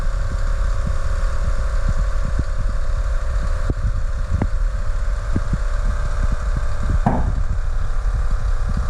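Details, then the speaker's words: 2008 Chevrolet Trailblazer SS rear air suspension, new Dorman compressor after the old one burnt out from dry-rotted air springs, key-on fill: steady low droning hum with dull thumps as it fills empty new bags; normal compressor run. "pump doesn't sound terribly healthy does it no it takes too much I guess that's how it's supposed to sound but I just thought it would be a little smoother but that's a brand new Dorman pump so that's the sound of it"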